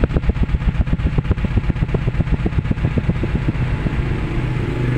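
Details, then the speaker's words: Suzuki Carry Futura pickup at idle, sound at the exhaust; uneven low puffing about two chuffs a second with a skipping beat, as if one cylinder's ignition is dead; coil, spark plug or injector suspected; shakes and lacks power on throttle; cylinder misfire. "seperti ada satu e pengapian yang tidak berfungsi kita mau cek dulu apakah eh foil atau busi atau injektor yang bermasalah atau bagian yang lainnya"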